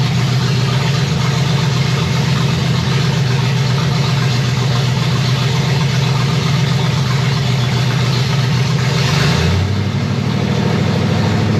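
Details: 1965 Chevy Nova wagon, 327 small block, after restart; fans came on around 190-195 and temperature dropped back to 180: steady lumpy V8 idle, even low rumble settling slightly; normal idle, runs healthy.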